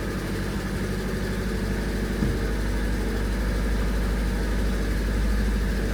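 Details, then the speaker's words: Classic Renault R16, first start after bottom-end repair for low oil pressure and knocking, oil pump primed, oil pressure showing: smooth even low idle with steady beat, no knocking or ticking. "turns out I can rebuild stuff that sounded sweet didn't it there's no noises there are no noises happy days"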